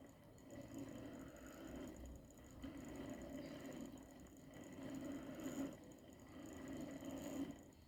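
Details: Repaired Hornby Class 57 diesel-electric model locomotive (owned about two years, previously dead) on the test bed: even motor hum with a soft rhythmic chuff that swells and eases; running smoothly.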